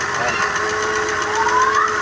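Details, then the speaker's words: Ford Fiesta Supercharger engine running irregularly, with knocking from the top of the engine, consuming a lot of coolant, and shutting off after a while; the injectors are dripping. Quick light ticking, about seven a second. "segundo o cliente ele tá consumindo bastante água bastante barulho aí na parte de cima né como dá pr ver e daqui um pouco ele desliga"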